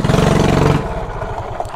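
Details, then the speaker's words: Carbureted mini bike, already jetted, with quarter-turn race throttle: pulls briefly then sags into uneven choked stumble as throttle opens; owner suspects flooding/too much fuel, swapping to normal full throttle. "so I think it's getting too much gas because how fast this go and it's really for like racing on a stock bike"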